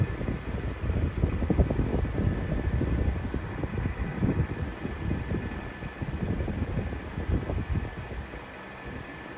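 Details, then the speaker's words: 1991-92 Patton 12-inch high velocity fan, counterclockwise blade, from a cold start: a steady thin whine over the airflow rush with an uneven low rustle; the bearings may be dry, before oiling. "It's kind of making a strange noise, like the bearings could be a little dry."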